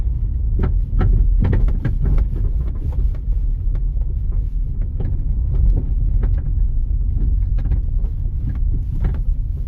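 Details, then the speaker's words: 2009 LPG car, 163,000 km, driven over bumpy test road: steady road rumble with irregular sharp clunks and knocks, cart-like rattling; worn, loose suspension parts. "완전 이게 저 옛날 저 일본 말로 구루마죠. 구루마이 달구지. 완전 이게 달구지 소리지."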